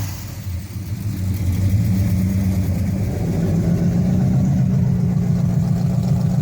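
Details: 1968 Dodge Hemi Charger V8: deep, even rumble climbs when revved and settles into a steady lope, firing clean with no knocks or misses.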